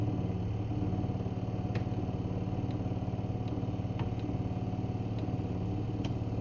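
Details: New Electrolux fridge: steady low drone with a fast throbbing pulse and faint ticks, audible from the next room. After-sales called it normal compressor sound, the owner disputes this. Loud compressor, cause not established.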